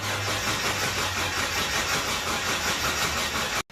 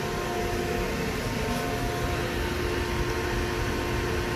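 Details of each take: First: Hyundai Galloper LPG engine cranks steadily on starter but never fires; fuel delivered but no spark, as distributor's built-in TDC/crank position sensor gives no ignition signal; distributor replacement needed. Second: Hyundai Galloper LPG vaporizer engine after no-start repair: steady, even running hum with a constant drone and no misses or knocks; engine back to normal.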